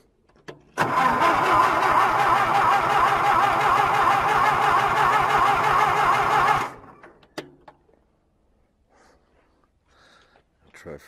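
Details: John Deere tractor winter cold start: six seconds of even cranking, about 3.5 turns a second, never catches. Suspected water in the carb via an unpiped breather. Carb was drained, fresh fuel primed, and fuel dumps from the carb. Crank, no start.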